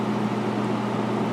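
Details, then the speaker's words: 1996 Holmes 5200 BTU air conditioner made by WCI, Macmillan fan motor running on high with compressor shut off: smooth constant whoosh of air and low steady hum, no rattles or scraping; current draw as rated; normal fan running. "But you get the point. It's quiet and it blows really cold air."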